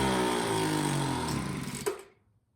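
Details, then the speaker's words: Craftsman two-stroke leaf blower, long unused, on fresh pre-mixed fuel after priming: buzzy steady idle, then sharp blip as throttle opens and it chokes out within a second; stalls on acceleration, carburetor low/high needs adjustment. "It starts, it runs, and it idles, but when you go from idle to full throttle, it dies. So that tells me that the carburetor needs an adjustment."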